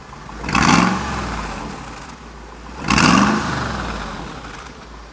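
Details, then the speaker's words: Supercharged Mercedes G55 AMG V8 bought with a blown engine: throttle blips rise and fall slightly ragged, idle a little shaky, smoking and eating oil from a bad piston; dead cylinder from damaged piston. "thing has a totally dead cylinder it's amazing it's smoking too obviously with a bad piston it's just eating oil"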